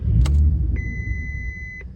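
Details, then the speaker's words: VW Mk4 Golf VR6 with suspected leaking clutch slave cylinder and air in the brake system: low rumble sags and fades within two seconds under a dash chime; engine stalls right after starting. "stalled keeps stalling not"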